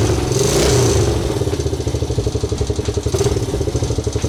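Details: Old forgotten Honda single-cylinder engine at its first start: settles into a quick, even idle after a throttle blip, with no obvious top-end tapping; running fine.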